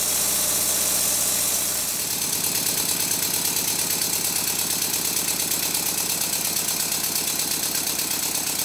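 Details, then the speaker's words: Rebuilt Stuart Twin Victoria miniature twin-cylinder steam engine at high speed: fairly even exhaust chuffs over air hiss, not perfect; slight knock remains, suspected connecting-rod side slap. "in this clip the beats are fairly even not perfect but even enough I think there is still a slight knock"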